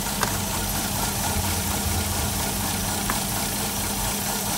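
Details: 2007 Toyota Yaris with multiple misfires and check engine light, idling: uneven, lumpy idle with stumbles and knocks breaking the rhythm. Coil packs being tested.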